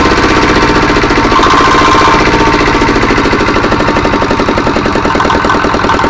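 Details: Diesel R180 single-cylinder engine, after piston ring installation for complaints of low power and oil consumption, started after refilling oil; steady fast beat around 220 a minute, even and strong with no knocking, running normally.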